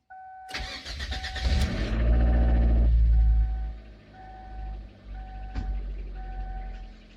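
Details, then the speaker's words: Kia Sportage with a coolant leak and noisy belt: cranks, catches and settles to a rough idle with a faint metallic undertone. It sounds like it shouldn't run. "I mean, it sounds like it shouldn't fucking run, is the answer. It sounds like this vehicle should not be drivable. Just so much damn noise."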